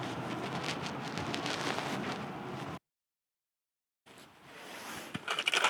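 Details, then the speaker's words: Whole-house AC outdoor condenser fan after getting it working, with the AC compressor still not kicking on: steady rushing airflow with light rattle, no grinding or squeal; fan spinning freely and running fine. "All right, so we got the fan working, but now I need to diagnose why the AC is not kicking on."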